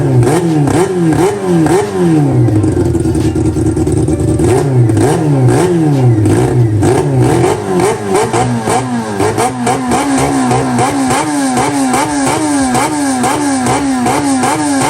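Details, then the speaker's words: Honda CB400 four-cylinder with four Keihin carburettors in an off-road golf cart, balancing idle before throttle linkage is fitted; repeated rising and falling revs, pulses even and clean; smooth, balanced normal idle. "ติดเครื่องแล้วก็ดูเดินเบาให้เท่าๆกันเดี๋ยฟังเสียงกันว่าจะเนียนแค่ไหนนะ"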